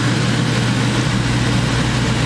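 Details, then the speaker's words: 2004 Chevy Express 3500 Roadtrek Popular 190 camper, roof air unit switched to heat pump mode: steady even hum with low drone and airy rush, compressor cycling to heat side; normal operation, no knocks or rattles. "You hear it cycling now. It's going to the heat side of things."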